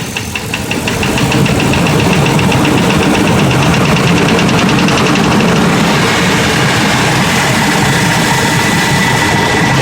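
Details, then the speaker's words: 8.1L engine at 80K miles: sharp, regular knock at idle that goes away at 1500 rpm; a piece of piston broke off after running lean from a contaminated MAF sensor. "okay we're looking for the knocking sound coming from the engine [Music] be coming from this corner over here but when I rev it up to 1500 it goes away"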